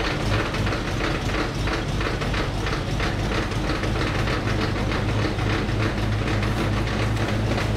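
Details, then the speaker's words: 1964 Buick LeSabre just pulled from years of barn storage, started on low fuel: loud, clattery idle with an irregular knocking beat about three per second over a heavy low rumble; owner suspects loose flex plate or torque converter, unconfirmed. "although that car didn't seem like it struggled at all boy that's noisy"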